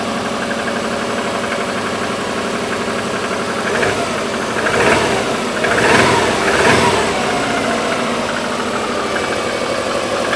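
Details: Subaru Legacy twin turbo petrol engine idling with a loose, uneven knock underneath at about three beats a second. Engine knock.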